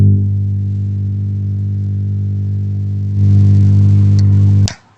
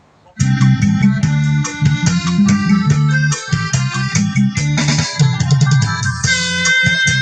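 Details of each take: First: MUSIC DJ MM20B speaker before repair: loud constant low buzzing mains hum with a gritty edge from the rear of the unit when plugged in, steps up once then cuts out; cause not yet found, filter capacitor checked and not swollen. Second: Music DJ MM20B speaker after repair of a rumbling hum traced to an open filter capacitor in the power supply, which was replaced: clean music plays with no hum or buzz even in quiet gaps; working normally, loud and clear.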